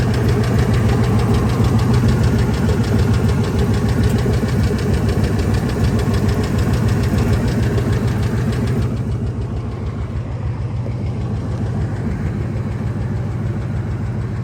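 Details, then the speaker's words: Ford F250 V10 after new headers and injectors, at idle: light even tick about 200 a minute, quieter than before but worse on one side; owner suspects lash adjuster lifter or rocker arm. "worse now than the other side, it seems like. You can hear it kind of ticking a little."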